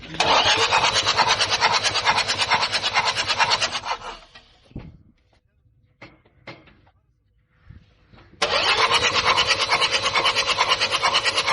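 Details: Common-rail diesel, possibly Toyota 1KD/2KD: fast even cranking about four seconds, pause, more cranking without catching cleanly; long-cranking hard start, bad injectors suspected, checked with a return-flow leak-off test.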